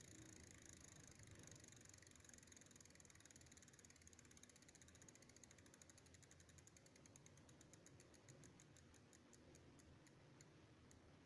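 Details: Prophete Entdecker e8.6 e-bike, Bafang BFSWX02 250W 36V geared planetary rear hub motor, about 1000 km over 5 months: fast, even ticking from the rear hub that slows steadily as the wheel coasts down.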